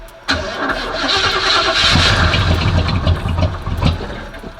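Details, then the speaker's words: Oldsmobile Cutlass 307 V8, just back from the mechanic, cold start after pumping the gas a couple of times: short crank, then it catches at once into a fast, slightly lumpy cold idle. Starts fine; it still burns some oil at start. "so real quick I want to give y'all a cold start I don't know if this is gonna come before the end the end of the video or what but I forgot to do it so I want to do that real quick for y'all"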